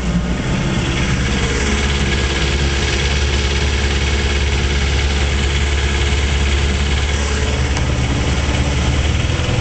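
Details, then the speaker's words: 1956 Johnson Javelin RJE-18 30HP two-stroke outboard on 14ft Viking runabout: smooth steady drone, low even beat, no misses or knocks; runs real nice, cleanly. "Javelin runs real nice. So much nicer than the new ones, you know."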